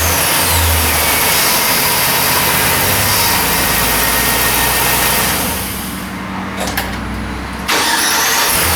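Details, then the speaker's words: 2006 Chevy Silverado 1500, towed in with no crank no start, after replacing the faulty starter and the original battery: engine cranks, catches promptly and settles into a steady run, normal starting. "starter was definitely junk and I'm glad I didn't jump to conclusions with the uh starter switch"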